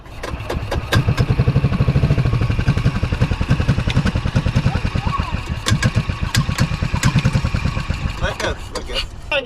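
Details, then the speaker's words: 2003 Club Car DS golf cart, engine previously seized, parked 3 years; first cranking under compression with spark plug in, has spark, even cranking pulses but no catch; fuel delivery suspected, filter looks clogged. Finding: cranking no-start. "see what this baby sounds like under compression for the first time"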